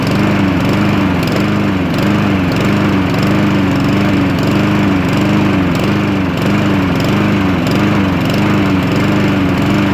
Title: Cub cadet lawnmower with Honda engine. Rough idle.